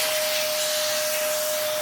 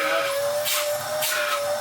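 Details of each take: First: Dyson vacuum tested for airflow with its original filter refitted: steady loud rushing hiss with a constant thin whistle, vacuum audibly struggling; low suction from an air leak through a hole in the hose. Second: Dyson DC07 vacuum from a free job lot, first run: steady, even howl holding one pitch with airflow rushing around it; motor running smoothly, the nice howl a decent DC07 makes.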